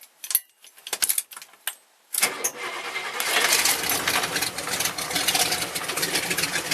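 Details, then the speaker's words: 1971 Buick GS V8, self-built engine in car about 7 years, 3-inch exhaust with 12-inch Cherry Bomb glasspacks: brief cranking and rattles, then catches in about two seconds into a loud, even rumble; normal start. "Got 3-inch exhaust with 12-inch cherry bomb glass packs on it. It is pretty obnoxiously loud at this point."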